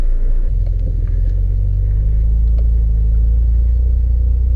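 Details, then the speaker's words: 1988 Acura Legend KA4 sedan V6, first road drive after sitting 10 years, after rebuilt injectors, new ECU, fuel pump, cap, rotor, plugs wires; steady road rumble without rhythmic clicking under way, CV joints sound good, shifting fine. "từ khớp cv động cơ có âm thanh tốt"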